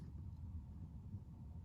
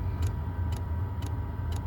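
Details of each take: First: Chinese diesel heater in a camper van after fitting a British-made quiet dosing pump, heater on its lowest setting, pump in a closed cupboard and heard from the bed: only a soft steady rumble. There is no pump ticking. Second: Stock dosing pump of a Chinese diesel heater in a camper van, phone about six inches from the pump inside the access hatch: a crisp tick roughly twice a second over a low steady hum. The pump ticks loudly.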